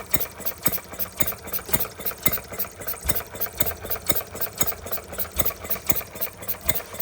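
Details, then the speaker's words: Stirling Kits Retrol G16 model stationary gas engine, first start after clearing a flooded plug, revs adjustable, fuel pump not yet primed; steady sharp pops about two per second like an old stationary engine; normal running. "Even sounds like a stationary engine. Even st sounds like a proper stationary engine the old ones."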